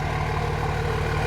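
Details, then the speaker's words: 2005 common-rail Cummins diesel swapped into a 2008 Ford F-350 dually, after a fix for earlier rough running with combustion noise from the intake: even, steady idle clatter, no misses, no smoke; now running well. "Oh yeah. Oh, that is way better. Sounds good now. Listen to that. No smoke."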